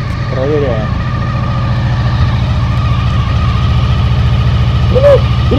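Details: 2000 Honda VFR800 V4 after reseating the loose ignition coil connector and fitting new oil. Cold engine with an even, low burble at a raised idle, all cylinders firing steadily with no stumble or knock; now running properly.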